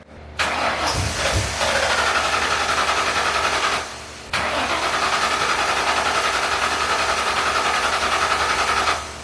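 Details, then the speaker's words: Old Ford Mustang GT project car, after found-loose spark plug wires were tightened: two cranking bursts with even rapid starter churn, about three and a half spins per second, never catches; cranks but won't start, spark and fuel checks planned next. "Belum berhasil. Jadi sepertinya saat saya pergi, coba periksa percikan api dengan cara melepas satu kabel dan memasang busi ke logam."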